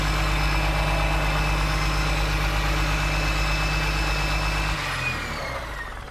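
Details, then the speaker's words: John Deere 6068T diesel from an abandoned machine, started without starting fluid: steady, even low idle with smooth rumble and no misses; healthy engine. "Oh, that is sweet. That's a good sounding engine. I'm not kidding."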